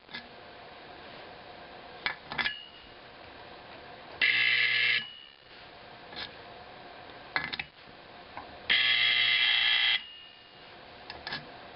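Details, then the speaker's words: Simplex 4051 24 V DC horn being converted to a 24 V AC 4050, adjusting screws being set: two loud, buzzy, overdriven blasts, one under a second and one longer; screws set too far, harsh horn tone. "Just getting in just the right spot. Sounds kind of scary, actually. Too much."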